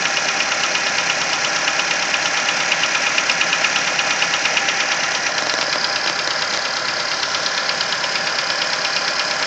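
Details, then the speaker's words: Nissan Versa engine at cold idle: steady light tapping about twice a second, more prominent as revs drop, seemingly from around cylinder 3; persists for the first 10-15 minutes of driving until the engine warms up. Top-end tick, cause unknown. "As the revs come down, you can hear the tap become more prominent. You can hear it plain as day now."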